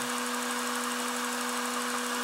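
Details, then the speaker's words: Acura/Honda J-series V6 after a fuel pressure regulator replacement, with the forgotten intake manifold vacuum line reconnected: a steady even idle with no vacuum-leak hiss, running nicely. "sounds beautiful she sounds a pretty nice and party"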